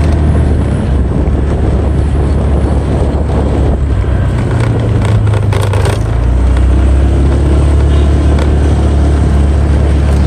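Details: Honda Vario 125/150 riding after fixing the loose front panel (dasi): heavy wind rumble and steady engine drone, no panel rattle or buzz.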